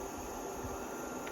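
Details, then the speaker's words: Blaupunkt air cooler on level 1, its lowest setting: soft, steady airy hum, no rattle or squeal. Quieter than levels 2 and 3, still blowing cool air; sounds normal. "then level 1, that's quieter. And there's still some cool air coming from that."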